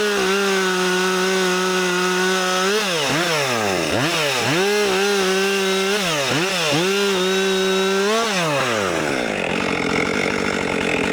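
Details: New Husqvarna 564XP fuel-injected 60cc chainsaw cutting trees: high steady wail sagging and recovering about six times in the cut; engine pulsing under load, cause unknown.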